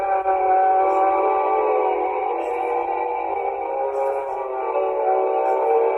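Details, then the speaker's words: 1960s Mayfair Model 200 four-transistor tape recorder playing music: sustained notes waver up and down in pitch from imperfect reels and old tape; tape wow and flutter. "you can still hear the pitch rising up and down in the music in particular and that's the nature of imperfect reels old old tape mediu"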